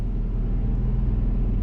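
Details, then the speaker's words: Built-in Onan RV generator under the bed, loaded by a blow dryer with the electric water heater on, gives a deep, steady drone whose pitch holds constant with no surging; it runs normally but is loud and vibrates the floor. "see that and you notice it's under a load and the uh generator the tone is not changing"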